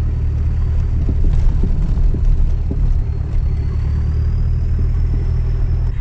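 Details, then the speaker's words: Lancia Delta HPE driven over speed bumps on a rough road: loud road rumble with irregular short clunks from underneath, getting worse. Exhaust or suspension is suspected; the cause is not yet found. "something sounds very broken and I think it's getting worse by a minute which is not good at all"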